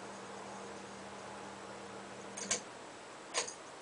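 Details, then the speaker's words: Hunter 32-inch bath and dressing room ceiling fan, 153 motor, plywood blades, running: light tick twice over faint steady motor hum; owner suspects light shades left hand-tightened and a little loose. "part that noise probably the shades I didn't tighten them with this we got have anything just my hands so they're probably a little loose"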